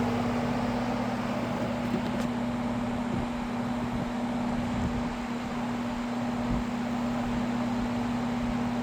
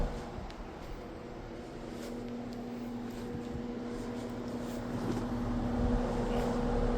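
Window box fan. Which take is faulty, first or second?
second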